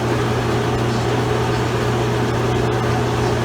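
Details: Maytag Ensignia belt-drive washing machine running a cycle: a steady low hum with a constant drone and even mechanical whir, no knocks or grinding; normal running noise.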